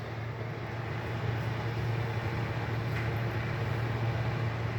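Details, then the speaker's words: Mabe refrigerator that only lit its lamp and did not cool, after bridging control wires and plugging in: steady low compressor hum with a soft fan rush on top and no clicking or cycling. The compressor and fan are running normally. "ok right now we are going to proceed to connect the article and how you can see on Hey right away you can't hear it and the compressor and the fan"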